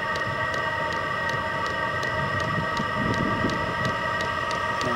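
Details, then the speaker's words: VEVOR 27,200 BTU diesel air heater (12/24 V) on first startup, warming up: even, rapid fuel-pump ticking at two to three per second over a steady fan hum as the rhythm builds. Running normally. "two pump getting more Rhythm this thing runs on either 12 volts or 24 volt it doesn't care sounds like it's getting going now"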